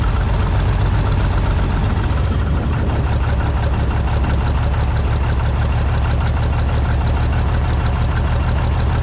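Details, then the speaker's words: International Harvester TD15-151 dozer with twin exhaust believed from a TD18, cold engine idling: deep uneven low chugging with occasional dropped firings, misfire; always ran rough cold and clears after driving; owner suspects carburetor jet jammed with debris, valves never adjusted. "Well, it always did mess when it was cold. Usually if you take it and drive it a little bit, it'll clear up. And it was almost to clear up. Every now and then you hear it hit."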